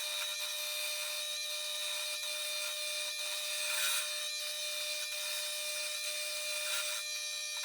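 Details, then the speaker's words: Chinese mini lathe after cross-slide dovetail modification cuts smoothly with a roughing insert, steady motor whine and even cutting hiss; the former screeching resonant chatter is gone. "Here it is, I dropped the noise by five tenths has changed you no longer hear that screeching source of resonant vibration that you heard before."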